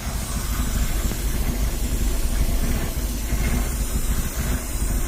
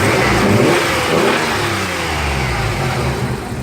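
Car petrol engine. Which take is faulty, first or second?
first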